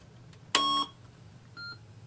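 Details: Texas Instruments TI-99/4A computer after teardown and reassembly: single clean high electronic beep about a third of a second at switch-on, then faint blip; normal power-on beep.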